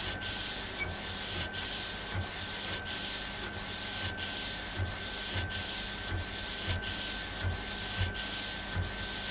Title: Epson Stylus Pro 4880 текстильный - первый прогон после ремонта